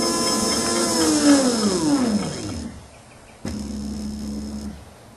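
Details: Rewound QS outrunner motor on a Kelly controller, at full throttle after reordering the hall wires: the whine falls smoothly, then holds a steady, even hum at the correct 1300 rpm, down from 2200 rpm, with no roughness or cogging.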